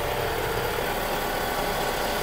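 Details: Vehicle at idle, heard close up at the alternator via stethoscope: steady rough hiss and whirr; worn alternator bearing close to failing, may seize and snap the belt.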